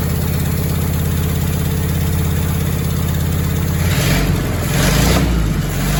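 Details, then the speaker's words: Willys flathead Jeep engine rebuilt from used parts, first start after new valve and valve adjustment: rough low idle with uneven metallic bottom-end rattle growing busier with revs; spun crank bearings, metal found. "we kill it something in the bottom end is rattling y you may have heard we heard a little bit of a bottom end noise"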